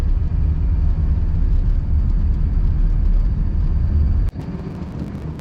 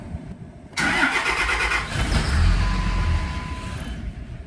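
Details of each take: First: 2005 Dodge Ram 2500 diesel after a water-in-fuel sensor repair and fuel system priming: deep, steady rumble at an even idle with no knocks or misses; sounds like a healthy engine running smoothly. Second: 2005 Dodge Ram 2500 diesel: long cranking before it catches into a rough run, right after fuel filter service for a water-in-fuel light, filter not pre-filled; water warning light now off.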